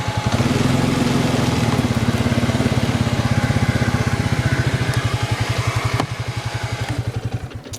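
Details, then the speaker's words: 2002 Arctic Cat 300 ATV, 280cc oil-cooled single: an even, steady thump at about four beats a second with no knocks or misses; it runs great. "Yeah, as you can see, it runs great."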